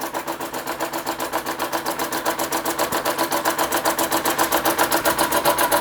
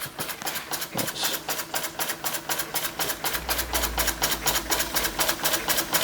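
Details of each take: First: Restored Empco B-43 model steam engine finally running under its own steam after full restoration: crisp, even chuffs at about 220 a minute, quickening slightly as it settles; running sweetly. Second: Restored Empco B-43 model steam engine running on steam: sharp knock about four times a second every turn over steam hiss, because the crank is quite loose in the holes of the crank support.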